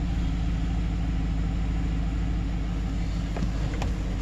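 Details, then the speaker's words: 2008 Silverado 5.3 V8 after collapsed AFM lifter replacement for a cylinder 4 misfire: deep, steady, even idle with no ticking or surging; smooth and healthy, misfire gone. "Sounds really good. One thing to look for is like high RPMs or surging. That'll indicate like a vacuum leak or maybe an intake manifold gasket didn't sit right."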